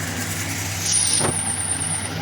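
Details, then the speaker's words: Suzuki Multicab, Honda CR-V or Mitsubishi Xpander at a steady idle; a thin high squeak rises as the steering wheel turns. The steering rack assembly has dried-out grease and torn boots and must be removed; the steering motor is not at fault. "Ang problema dito mga boss yung steering rock assembly kailangan siyang ibaba dahil natuyuan na siya ng grasa tapos yung mga boots sira na rin."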